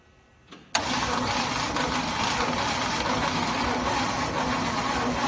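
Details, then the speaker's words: 1969 Chevy C/20 with 327 V8, not run for 40 years: steady starter cranking for several seconds that never catches. There is no spark because the owner forgot to install the distributor rotor. Crank, no start. "i forgot to install a key component and then i just proceeded to try to start it and was mind bottled at why it wouldn't start"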